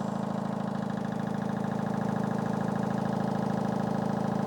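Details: 8 kg Fisher & Paykel front-load washing machine: steady rapid knocking about four a second over the running drum, stopping when the tub is pressed; not the drum, owner suspects a worn stabilizer/suspension.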